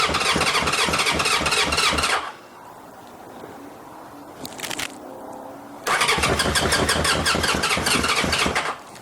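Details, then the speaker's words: 1981 Honda CB750K parts bike, first start on borrowed gas with choke closed: fast, busy four-cylinder buzz at about 3000 rpm with no throttle, well above normal idle; owner opens the choke to bring it to about 1000 rpm. "all right too much of rpm that was about i was probably about 3 000 rpm i need to open the child choke"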